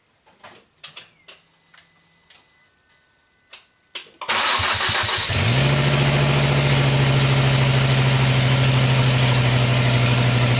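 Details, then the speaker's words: Volvo S60 Turbo after fitting two new exhaust valves on cylinder 1, fires into a harsh, very loud hissing roar at idle: exhaust manifold gaskets slipped out right under the turbo. "I'll fired right up what the hell was that I didn't take the exhaust off yeah that was super loud foreign my exhaust gaskets slipped out right there right under the turbo"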